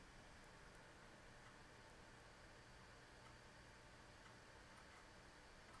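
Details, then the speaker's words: Proprietary 45MB hard drive in an IBM PS/2 Model 30 286 (1991), running a diagnostics test: faint, irregular light ticks over a quiet steady hiss; heads seeking normally. "I hear it running the hard drive."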